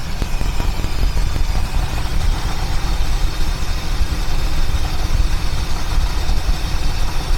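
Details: 1976 Mercury Marquis, revived after a no-spark no-start fault; idle was too low and it stalled: low, steady idle with an even beat and no misses; the idle now holds.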